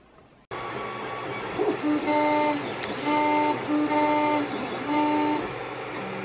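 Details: Creality CR-10S 3D printer printing without foam dampers under its legs: stepper tones pulse on and off about once a second over a buzzing drone as the frame resonates; test before adding packing-foam vibration dampeners.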